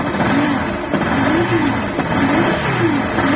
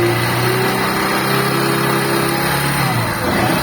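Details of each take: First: Motorcycle engine revved with a wavering, bearing-like whine, like a bad clutch bearing; disconnecting the stator connector stops it and reconnecting brings it back, so it is stator (charging system) noise, not internal engine. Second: Motorcycle engine with a suspected bad bearing-like noise, stator connector unplugged: engine idles evenly with a steady hum, the whirring noise disappears, returning when reconnected, pointing to the stator circuit.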